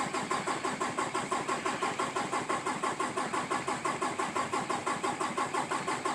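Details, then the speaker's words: 2018 Peterbilt 579 diesel, after the dealer replaced the priming pump assembly. Starter churns at about three compressions a second on and on before finally catching. A chronic long hard start since new; the cause is unresolved. "guess what it's still not there and there we finally got it that is absolutely positively ridiculous"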